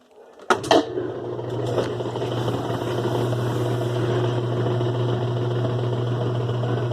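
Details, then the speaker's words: 2005 Kenmore 70 Series direct-drive washer on slow spin: thump at start, then a steady low drone with a rough whirring edge; water pump suspected noisy, believed dirty inside. "este problema puede ser la bomba del agua que está Ardiendo el ruido creo que está sucia por dentro"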